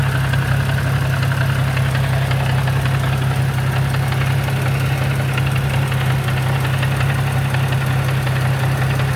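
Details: Infiniti G35 coupe with 6-speed manual transmission at idle in neutral: a soft, fast knock of about three beats a second from the gearbox; it goes away in gear and gets worse with windows up; cause unknown.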